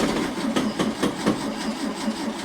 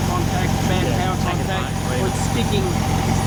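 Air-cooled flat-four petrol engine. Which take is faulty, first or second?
first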